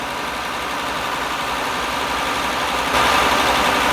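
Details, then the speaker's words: 2000 Honda Accord 3.0L with code P0505 (idle air control), idling high at about 1,400–1,500 rpm, after parts were already replaced elsewhere; the cause is still unconfirmed. "so our engine RPM is high so right now we have 1,400 which is too"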